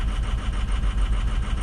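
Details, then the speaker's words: 2006 diesel pickup at 218,000 miles, cold, during a power-balance test. Low, uneven chug and lumpy beat at idle as cylinders 4–6 drop and it gets rough; injectors are suspected but not confirmed, and a cylinder 2 glow plug code is stored. "oh they'll get four five and six are dropping four oh God it's getting rough it's getting rough"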